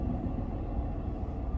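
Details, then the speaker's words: Lexus idling after a cylinder 1 fuel injector cutout test run from an Innova SD35 scanner. Now back to all cylinders firing: a low, steady, even and smooth idle rumble. "we're back to all cylinders firing now."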